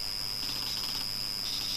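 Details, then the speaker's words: Old Acer PC that powers on but does not boot, 320 GB hard drive; steady high whine with raspy croaking chatter swelling in twice over two seconds, abnormal hard drive noise, cause unknown and to be investigated. "yeah what is that what the hard drive works and that's a strange thing now i'm gonna shut us down and check this out and just investigate this because it's very very odd"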